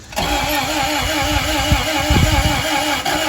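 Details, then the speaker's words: 1991 Acura Integra LS, first start in years after a new fuel pump: the starter cranks steadily with a couple of firing puffs from cylinder 4 but never catches; injectors suspected clogged, with the other cylinders bone dry. "Yeah, I guess we keep cranking until something happens."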